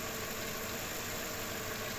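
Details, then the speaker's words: Mercedes E55 engine after replacing the belt tensioner/adjuster pulley bearing, which had made a loud noise on start: even, steady idle with a smooth hiss and no chirp, rattle or bearing growl. Noise gone, engine normal. "তো friends আলহামদুলিল্লাহ sound আর করতেছে না, একদম perfect হয়ে গেছে, আগের মতো যেরকম ইঞ্জিন থাকে সেরকমই।"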